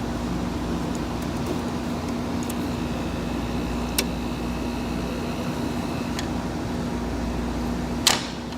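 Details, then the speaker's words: 1986 Friedrich Quietmaster 19,000 BTU refurbished window AC on 220 V, started on low cool and stepped through low, medium and high fan. Steady, loud rush of air with a constant low hum and no rattles; normal fan operation on high. "here is low medium medium medium high and high it's loud"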